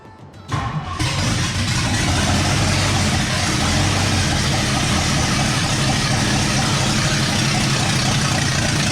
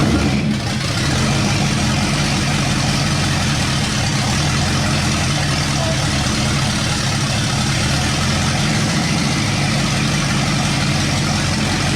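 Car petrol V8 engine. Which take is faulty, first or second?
first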